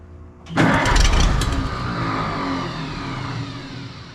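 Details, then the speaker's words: Oliver 77 tractor, December cold, points just filed, possibly flooded, no choke: cranks, catches with a rough burst that sags and fades. Hard start, engine dies; owner suspects fuel starvation, maybe frozen fuel. "I don't think it's getting enough fuel. It was so cold, the fuel free solid or what?"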